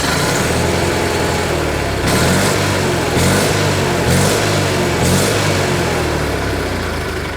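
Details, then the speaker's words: 1986 or 1987 Argo Magnum running off an external boat tank, idle set low so the clutch doesn't engage: low, slow soft even thrum with brief blips, running smoothly with no misses or knocks. "it really does run nice"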